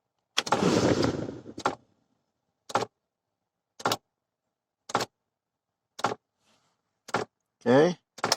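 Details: 2005 Ford Explorer, key on, engine off, no heat: sharp dash clicks repeating about once a second from the failed blend door actuator, later replaced.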